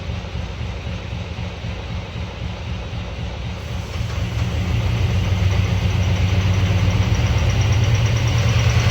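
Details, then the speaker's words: Same '48 truck, which sat about a year and a half with an open fuel neck: rough idle with a rhythmic knock about three per second; owners suspect detonation from bad fuel or water in the tank. "Maybe you got some fuel or water down the neck, and maybe we was hearing detonation."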